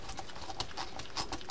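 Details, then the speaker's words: Penn Sargus 64LP low-profile baitcasting reel after disassembly and service: light, sharp clicks in irregular bursts as the spool turns, crisp ratcheting, no grinding; clicker working. "right you can hear that that click is working now okay so we're good with that"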